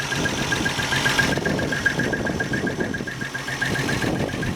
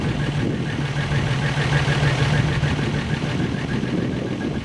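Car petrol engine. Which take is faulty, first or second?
first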